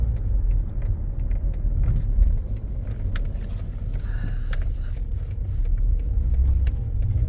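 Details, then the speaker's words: Toyota with Aisin MMT robotised gearbox on test drive after replacing 3rd/4th synchroniser and fitting shims under gears: steady low road rumble, no crunch or clunk through shifts; 3rd and 4th now silent, previously knocking. "Ну что тест-драйв я вам скажу коробка бомба третья четвёртая вообще не слышно просто вообще не слышно"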